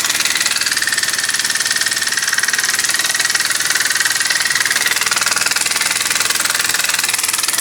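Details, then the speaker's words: Small single-acting oscillating steam engine run on compressed air at a few pounds, then 10 lb, reversible: crisp, quick chuffs about four a second with a bright hissy exhaust; running freely. Normal running. "okay and there it is running and of course to reverse it just reverse the uh very little air coming out of there just a few pounds there goes in the other direction"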